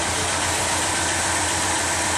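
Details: 1964 Pontiac Catalina V8 with original mileage, idling at its first start of 2010: even low rumble under a lot of hiss, no skips, knocks or surging; normal idle.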